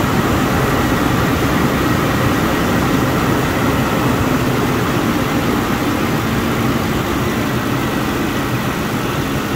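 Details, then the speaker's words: Clutch fan after changing back to the original clutch fan: steady idle under loud even fan roar just after cold start, expected to quiet after a minute; fan was hitting a hose. "it's normal for the idle to come down after a minute or so are not the idle the uh that noise from the fan"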